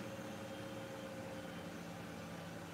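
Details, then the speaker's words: Miele washing machine at full spin: steady, even hum with constant tones and no thumping or wobble, hardly any vibration even when rebalancing; smooth, healthy spin. "not me the smoothness but hardly any vibration even when it's reading on balance"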